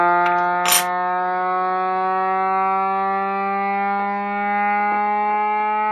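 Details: Reverse joule thief oscillator with 2N3055 NPN silicon transistor, started by shorting emitter, base and collector with a knife: steady buzzy tone rising in pitch as supply voltage sags toward about 75–80 mV; normal behaviour.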